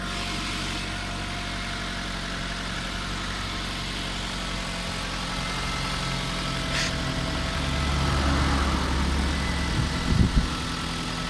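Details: Kia Sorento 2 engine at steady idle with a faint, fairly regular tapping about four per second over the hum; engine knock, source still to be traced.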